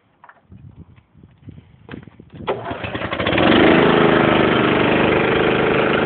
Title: cold start = EMGLO AIR COMPRESSOR HONDA 5.5HP